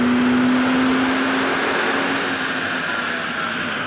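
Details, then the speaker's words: 2005 Mercedes CL65 AMG V12 on a dyno pull after chasing random driver-side-bank misfires (coils replaced before): high drone easing down as revs fall, even with no stumbles; clean pull without misfire, best run at over 500 hp and 700 lb-ft. "sounded pretty good not misfiring right now"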